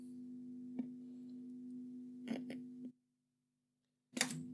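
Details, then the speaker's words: Telefunken Gavotte 55 tube radio: steady low 50Hz mains hum with sharp clicks as a jumper is touched on, dropping out briefly then returning; a tube-socket ground point is not making good contact with the chassis. "whoops so that ground there is not working it's supposed to be ground because it's part of the um it's part of the actual uh tube socket but for some reason it's not actually making a good contact to the chassis"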